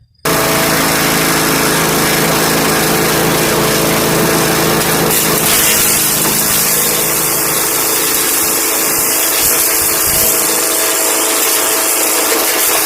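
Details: MTD 5 hp wood chipper shredder running after flail arm maintenance to cure a banging sound. Steady high-pitched drone with no banging from the chamber. Normal running after the repair.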